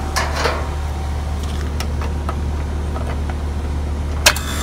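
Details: HVAC compressor after defrost board replacement and reconnecting the forgotten common wire from compressor to contactor: brief click and clatter, then a steady low hum; compressor starts and runs smoothly, though a refrigerant leak was found afterward.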